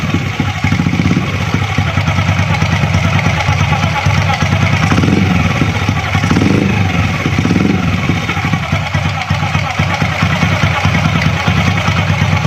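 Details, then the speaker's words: Honda Astrea Grand motorcycle after opening the magneto cover to fix a whining "nik nik" noise: even, steady single-cylinder putter at idle with no knock or scrape; noise gone, normal idle. "Oke, suaranya sudah tidak ada lagi."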